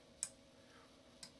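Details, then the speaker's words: Arduino Uno with a 2-channel 5V relay board wired to an ultrasonic diffuser's buttons: two crisp clicks about a second apart in a quiet room, the relays switching on-off to press the buttons, normal. "clicking you can hear is the relays switching each way so effectively on-off on-off clicking these buttons"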